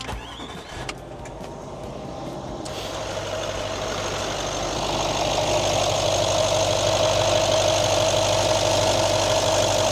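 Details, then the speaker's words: L322 Range Rover 3.6 TDV8 diesel, engine cover off, just after fitting a new hose/pipes to cure heavy smoke, fault code P023D and juddering: starts and settles into a steady, even idle with no hiss or whistle of boost leaks; sounds good. "Engine sounds good. Can't see or hear any boost leaks coming from any of the pipes we've got fitted, so let's get the engine cover put back on and we'll test this car to see, has that smoke problem been fixed?"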